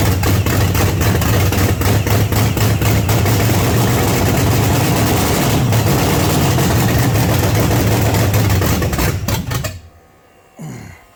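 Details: 1979 Pontiac Trans Am with freshly overhauled 400 V8 on first start: deep, lumpy, loping idle pulsing about four times a second; running rich with idle set too low, needs idle raised and fuel taken off.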